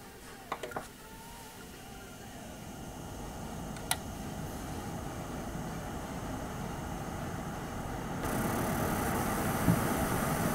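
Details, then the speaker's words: Asus ROG Strix 4070 Ti graphics card, from cold boot then gaming in Diablo 4: quiet airflow hiss stepping up as fans spin faster, no coil whine, not loud; normal fan noise. "To me, this card sounds just like any other GPU. It spins up when you're playing a game, but it's not crazy loud. To me, it's perfectly acceptable."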